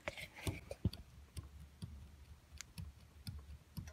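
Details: Honda Accord 7 with a Chinese replacement steering rack fitted half a year earlier: dull knocks with sharp clicks, two or three per second, as the wheel is rocked, from a worn rack-end bushing.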